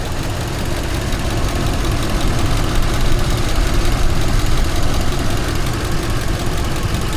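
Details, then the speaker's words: Ford 5.4 V8 at idle after customer-supplied parts job, coils, injectors and cam sensor checked connected: lumpy, stumbling uneven beat with visible engine shaking and heavy vibration, definitely a misfire. "Let's see here. Definitely a misfire. You see that thing shaking? Shaky shaky shaky."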